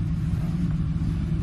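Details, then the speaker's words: 2007 Ford F-150 5.4L 3-valve V8 at no-load idle before repair, code P0302: deep rumbling idle that stumbles and lopes, a dead misfire on cylinder 2 caused by a loose spark plug, with a smell of fuel. "all right so nothing nothing else number two is a dead misfire no matter if you goose it or it's sitting at island no load"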